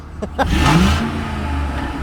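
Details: Car at 208k, otherwise stock, with cold air intake, all 4 catalytic converters unclogged and stock mufflers worn and rattling: sharp rev into a deep, harsh, raspy exhaust roar; a broken hanger is missing its bolt.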